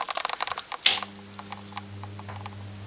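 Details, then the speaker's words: Original bathroom exhaust fan after cleaning and re-greasing its dry bearings, blades off: a few handling clicks and switch snap, then a smooth, steady hum with no rattle. "waa that sounds much better doesn't rattle anymore that's much happier"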